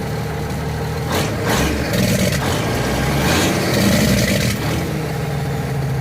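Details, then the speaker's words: 1979 Kenworth W900A restoration, diesel running off temporary fuel can: smooth deep running with throttle blips, each cut off by sharp barking crackle from the Jake (engine) brake, which works; sounds healthy. "Sounds pretty good."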